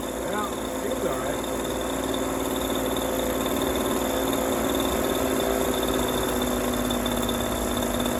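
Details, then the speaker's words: Echo PB230LN older handheld two-stroke blower that wouldn't rev up, running with a rock-hard purge bulb after new fuel line and filter; steady high buzz holding revs evenly without stumbling or surging; seems good, bulb full. "Seems good. The bulb is full, but it just see. It's going. It's working."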